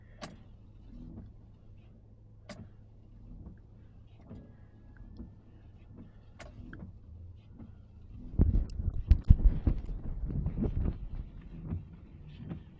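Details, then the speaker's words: Windshield wipers after a quick replacement, microphone right against the glass on a very cold day: only a faint soft sweep every couple of seconds, no chatter, squeak or thumping; gliding quietly as they should. "But you can hear nothing. No sound whatsoever."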